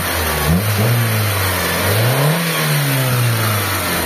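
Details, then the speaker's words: Carbureted Mitsubishi Lancer "pizza" after carburetor cleaning and tuning, previously hard starting when warm: smooth idle, then a clean rev rising and settling back evenly without stumbling or popping; normal revving. "Yan. So pino na yung andar mga bossing."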